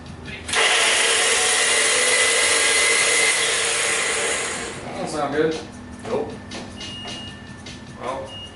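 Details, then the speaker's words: Nissan 240SX S14 with a freshly swapped SR20DET: high free-spinning whir for about four seconds with no cranking beat; starter spins but its Bendix won't kick out to turn the engine, starter suspected bad. "like he'll spin all day but won't kick out and turn the engine"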